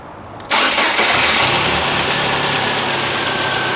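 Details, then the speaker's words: Engine at idle after replacing a growling accessory belt pulley: starts cleanly and idles smoothly with no growl from the belt drive; fixed. "Alright, with the belt on and the pulley on, noise is gone. This one's fixed."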